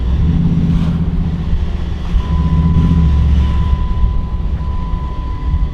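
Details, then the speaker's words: Hemi-swapped Jeep power steering pump, a reconditioned unit only a year old, gives a thin steady whine over engine and road rumble while driving; the pump is worn and needs replacing. "but as you can hear power steering needs to be replaced it's whiny it's tired"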